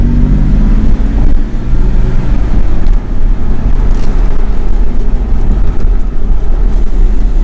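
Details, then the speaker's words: BMW E60 528xi (Copart car) driving after hub bearing replacement, where it previously made a horrible sound around 20–25 mph; now only even road rumble and rusty brakes, no rising hum or growl from front hubs; quiet wheel bearings. "it was the bad bearing it was the bad bearing because right now it doesn't produce those horrible sounds anymore"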